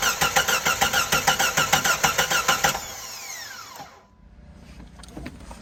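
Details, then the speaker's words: 1997 Jeep Grand Cherokee 4.0 inline-six, cranks but won't start: the starter turns the engine evenly, about two beats a second, for nearly three seconds with no firing; the spark tester at the ignition coil shows no spark. "oh we got no spark this ignition coil right here is where i was just checking spark at from right here"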